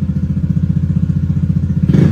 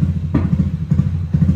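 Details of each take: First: Automatic scooter, bored-up engine, BRT Juken 5++ ECU fuel raised by only 1.3 after adding 10 nearly stalled it: steady pulsing idle, then quick sharp blip rising and falling cleanly without stumbling; clean throttle response. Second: Automatic scooter, bored-up engine, BRT Juken 5++ ECU with ignition dwell zeroed at 1500 rpm: sharp pops roughly every half second over uneven, stumbling running, fuel not burning because spark doesn't fire; backfiring from zero ignition dwell.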